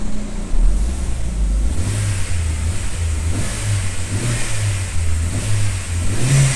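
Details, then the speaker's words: 2009 Chevrolet Astra after repair of knocking/pinging (fourth injector faulty), still warming at about 45–46°C coolant: engine spins up cleanly and settles back evenly, no stumble or miss; running smooth, normal revving. "mas eu acho que já ficou redondinho eu vou esperar esquentar e vou mostrar isso aqui para vocês depois aí no vídeo vai estar monitoradinho o motor ficou Sereno ficou Redondo ficou legal"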